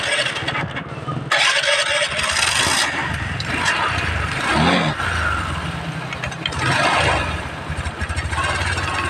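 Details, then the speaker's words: Flood-damaged Honda Vario Techno scooter after fitting new CVT bearing: steady, even idle with smooth drive hum, no longer noisy, no grinding or whirring. "Suaranya nggak berisik lagi."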